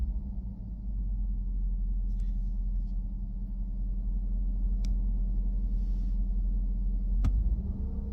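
Low, uneven idle rumble with a wavering beat and speed creeping up near the end; rough idle, cause not yet known.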